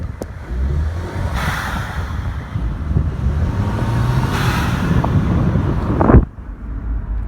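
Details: Audi turbo engine after an overboost fix, no warning lights: engine drone under load, airy whooshes on lift-off and a rising rush before a sharp release as the turbo blow-off valve vents normally.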